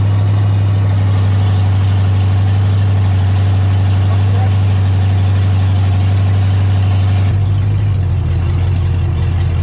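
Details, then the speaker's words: Ford big-block 460 V8 in a 1956 F-100, first fire-up on open headers with no mufflers, fed from a gas jug, during cam break-in: deep, steady rumble with an even beat and no knocks or ticks; normal running. "all right that's it on the big block 460 she's fired up we broke the cam in it was giving us a little bit of a struggle but we got her handled"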